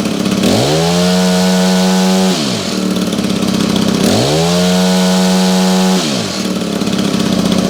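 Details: Honda HHH25 two-stroke hedge trimmer after a carburetor replacement and raised idle setting: two crisp throttle blips climb smoothly to a steady high buzz and drop back cleanly, no stumble; it now idles at a good speed.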